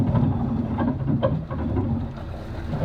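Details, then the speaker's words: Boat's starboard engine in reverse: a rough, uneven low rumble with heavy irregular thumps, like driving over rocks. A failed driveline CV joint. "I thought we were like hitting a rock it sounds like you're driving over a rock yeah so that's not great"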